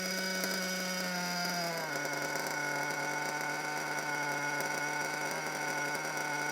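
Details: Brand-new RC nitro engine that couldn't be tuned to idle: it buzzes at idle, then its pitch sags and wanders, never settling; the cause was a bad front crankshaft bearing.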